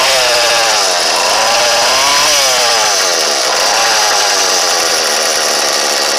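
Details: Troy-Bilt leaf-blower 32cc two-stroke, new fuel line and primer bulb, test run for motorized bike: high buzzy scream rising and dipping smoothly with throttle, no stumbling or misfire; runs strong.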